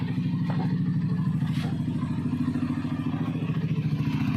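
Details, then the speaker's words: Yamaha NMAX v1 scooter after replacing the camshaft bearing, which had caused knocking and a helicopter-like noise: soft, regular idle putter with no knocking or clatter; engine running quietly and healthy. "Ayan oh. Napakagandang andar na. Wala na yung kumakatok-katok. Wala na idol. Okay na po."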